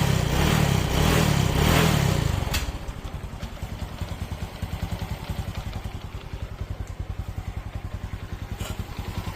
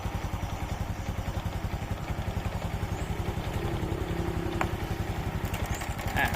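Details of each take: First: Honda Wave/Dream 125 that came in with a loud clacking engine noise (timing chain/valve noise). After the repair, using a non-genuine replacement part, a brief rev drops to an even, quiet idle with no ticking or chain rattle. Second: Honda Dream/Wave 125 motorcycle engine, tensioner held tight idle goes quiet, released: fast metallic clatter, about three to four raps a second, over a small single's idle; loose cam chain from failed cam chain tensioner.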